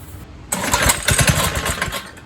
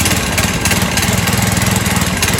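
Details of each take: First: 1970s trike, believed to be an MTD Mud Bug, with a replacement ~5 hp John Deere engine idle for 5–10 years: it fires briefly on carb cleaner spray, then sags away. The carb isn't drawing its own fuel, and the float has debris. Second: 1970s trike (believed MTD Mud Bug) with a ~5 hp John Deere single-cylinder, after clearing the fuel feed so gas reaches the float bowl: it putters at a steady, fairly even beat and keeps running on its own fuel.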